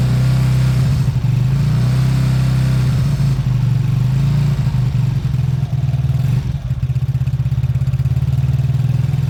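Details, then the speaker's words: Beaten-up old Lexmoto single-cylinder bike after the carb fuel feed was fixed: a steady low putter and a few clean throttle blips without stumbling or knocking. Normal idle and revving. "I'm going to let that idle for a good 5 minutes I want the oil to circulate I want everything to loosen up so far that sounds good"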